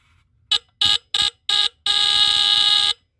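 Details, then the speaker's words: Tanita Mfg. Co. No 2 Fire Alarm (a heat alarm rated 145–165 °F, running on one D-cell battery), tested with the bottom test strip after the battery was jolted: four short shrill beeps, then a long steady loud high tone; the horn works normally. "which will be cool cuz I can never get any to happen there that's cool that's loud"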